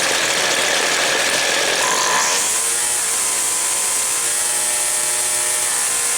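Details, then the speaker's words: Two-stroke equipment engine, cold, during high-speed carb jet adjustment at full throttle: a screaming wail that bogs, stutters and four-strokes briefly, then clears on its own. This slightly rich high-side mixture is the desired setting on a cold engine. "okay did you hear how when i first started it it took off and it kind of bogged a little bit stuttered that four stroking then it cleared back up on its own"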